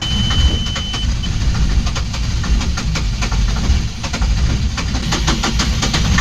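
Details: Yanmar diesel on a sailing catamaran cranks with rough, rhythmic churning but never fires, after the filter was refitted and bled; cranking no-start.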